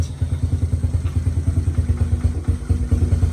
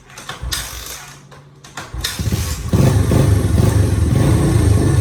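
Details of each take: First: Honda Fatcat after carb cleaning, fresh gas and new plug, first run in about a year: low, lumpy idle with uneven firing and occasional stumble; engine still cold, choke off, idle possibly set too low. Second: Old Honda Fatcat single, not run in about a year, after carb clean (sticking float freed), fresh gas and new plug, still cold: few starter pulls then catches into steady, healthy thumping idle with no misses; normal running.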